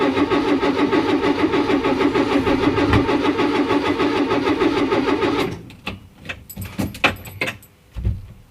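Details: Renault Trafic van with new radiator, during road test restart: starter churns evenly about three turns a second for over five seconds without catching; recurring hard starting, owner suspects battery charge.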